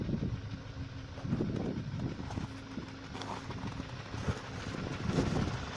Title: Посторонний шум двигателя.